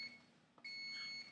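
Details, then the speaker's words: Thermal tattoo stencil transfer printer: a short high beep, then a steady high tone of about half a second, the error signal it sometimes gives on simple jobs; stencil strip also comes out uneven on two sides. "you know that's just that's just something and then it has an error it does that sometimes when I just do simple things"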